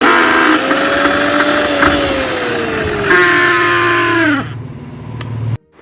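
Loud, rough motor whine that wavers in pitch, then spins down; a worn bushing lets the shaft rattle.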